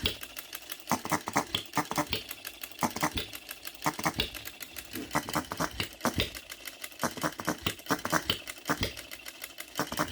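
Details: New OKMO Retrol B02 miniature petrol hit-and-miss engine with new carburetor, first run, on shellite with distilled water in the hopper: crisp pops in short bursts, coasting clicks between, about every 1.5 seconds. Normal governing.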